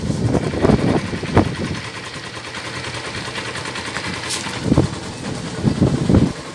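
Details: Yamaha SZ 150 after timing chain and tensioner replaced and broken compression release removed, weights stopped: smooth regular idle with clean throttle blips, no knocking or chain rattle; normal idle.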